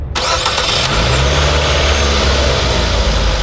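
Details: Car after starter Bendix drive replaced to cure metallic scraping on cranking, tested in neutral: starter spins briefly without scraping, engine catches within a second and holds a smooth steady idle; normal crank and start.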